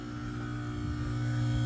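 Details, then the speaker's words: Trane package heat pump, no-heat call at about 30 degrees, unit apparently in defrost: steady low electrical hum from the running compressor with no fan whoosh; outdoor fan motor not turning, only some warm air coming out. Cause suspected, not confirmed. "it's in defrost. No fan motor. It's still like some warm air coming up out of it, so let's just pop our gauges on it."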